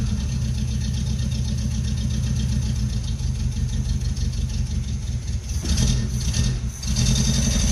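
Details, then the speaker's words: 1977 Renault R5 LeCar, neglected, first start after basic checks, flooded with foot on gas: uneven, lumpy idle surging and sagging, struggling to settle; owner suspects a vacuum leak, brake pedal sucked down oddly, no gauges. "Oh, she's running. She's trying anyhow. Let's see if we can get her to idle. Got a vacuum leak."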